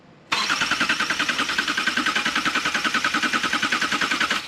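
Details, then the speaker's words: 2018 Subaru Crosstrek freshly installed junkyard engine: cranking in clear flood mode, injectors not firing, to build engine oil pressure before first start; steady starter chug about 3.5 beats a second, even rhythm, no firing. "we're doing that to build engine oil pressure I'm going to crank it"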